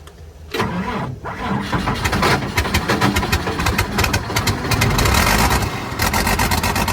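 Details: 29-year-old TimberJack 450-C skidder diesel, sitting 8 years, started on ether: catches after a few cranks and settles into a steady, even clatter with no misses or knocks; runs healthy after storage, hydraulics work, and it later showed zero blow-by.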